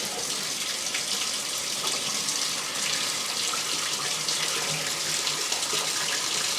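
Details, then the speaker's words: House sewer drain after owner's repair, tested by draining the tub: steady rushing water with no gurgling, burping or backing up, draining faster than before; line now flowing freely. "she's draining she's draining and this isn't filling up that's it she's empty"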